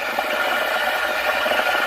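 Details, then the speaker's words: DeLonghi ECP3420 steam wand just under the surface of milk at fridge temperature: steady even hiss with a soft ripple, no gurgling; the correct frothing sound (deeper gives hissing, too shallow gives gurgling). "That's the sound you want to hear when you're doing milk. If you go in too deep, you'll hear a hissing sound."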